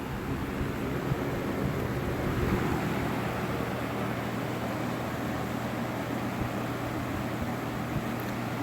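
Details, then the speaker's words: Vintage Lakewood P-223 three-speed fan running on high: soft, smooth rush of air with a faint low hum, no ticking or rattle; very quiet, healthy normal running. "even on high, this thing is like super quiet."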